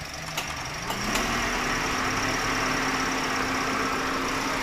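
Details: Toyota Vios 1NR engine with code P1605: uneven, lumpy rough idle with faint irregular shake and jerking under a low steady drone, suspected cylinder misfire.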